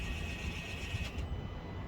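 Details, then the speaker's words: 2014-on Mazda 6 (Atenza) GJ put into brake service mode (start pressed twice, accelerator held, park brake button held down, start cycled three times): thin motor whine just over a second; rear electronic park brake winds fully back for pad service. "the park brake wind all the way back."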